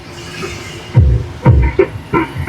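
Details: Ace LX20 audio amplifier, channel 1, with music input. Harsh, choppy, broken-up sound with crackly bursts on bass hits, while channel 2 plays clear; blamed on rusted parts.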